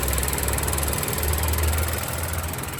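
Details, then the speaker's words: Ford Ka three-cylinder, idling, purge valve duty cycle rising to 9–10%: light, quick ticking about four per second over low idle, stopping when accelerated; canister purge solenoid cycling, normal noise, not an engine fault. "agora vou fazer o seguinte deixar aqui de novo ó tá começando a subir aqui a o funcionamento dela o barulho lá vai começar de novo hein ó 9% 10% a barulheira de"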